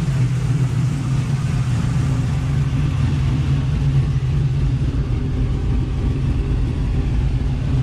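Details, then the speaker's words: Chevy Nova at hot idle after thermostat replacement: steady, even low rumble with no ticks or rattles; sounds much quieter now, hoses look okay, everything hot and air pockets likely purged; an earlier noise may have been the grille. "sounds much quieter now so far the hoses look okay this is hot everything's hot so I think the air pockets are"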